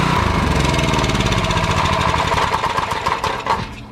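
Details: Old Honda 4-stroke generator rescued from the trash, started after spring slack and screw adjustment: small single-cylinder engine chugging at a steady, even beat, no knocks or misfires, easing off near the end; normal running.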